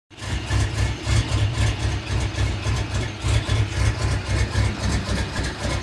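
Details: Chevy Suburban 5.3 V8 with an intermittent rough idle: a deep, uneven lope surging about four times a second; intake gaskets, knock sensors, throttle body, intake and MAF were replaced without finding the cause; the owner suspects dirty injectors, fuel or the fuel pump.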